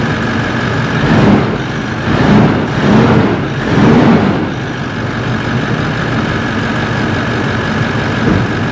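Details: Toyota 1VD-FTV turbo diesel swapped into an 80 Series Land Cruiser, first fire-up after an ECU adjustment: smooth idle with gentle throttle blips rising and settling cleanly, fan roar from apparently stuck-on clutch fan; running well.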